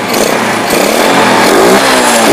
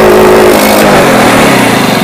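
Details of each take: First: Yamaha Jupiter Z single-cylinder, battery disconnected, running on a known-good regulator/rectifier (kiprok) for comparison: revs cleanly up and down three times, smooth rising pitch, no stumbling or popping. Normal revving; the bike's brebet/backfiring is traced to its faulty regulator/rectifier. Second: Yamaha Jupiter Z motorcycle, air filter box and rubber removed, revved hard: engine stutters and breaks up instead of climbing cleanly, backfiring exhaust, misfire from mid to high rpm like air starvation or choke closed.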